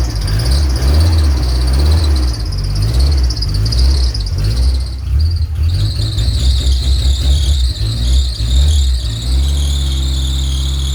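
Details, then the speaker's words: RHD Nissan 200SX S13 with CA18 engine, first start after a new wiring harness install. A loud, high screech over a rough idle, wavering with engine speed, from auxiliary belts believed dry-rotted; new belts were ordered. Accessory belt squeal. "the car was started and screaming like a pig because I need to sort out the belt actually those belts are probably dry roted and dead"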